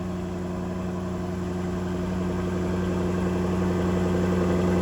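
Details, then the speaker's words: Jaguar F-Type after a battery cranking test (battery 90% charged, tested good): engine settles into a steady, deep, even idle with a smooth pulse, no knocks or misses; normal idle. "So that tells me everything is good on that battery during the cranking test. So everything at startup is as it should be."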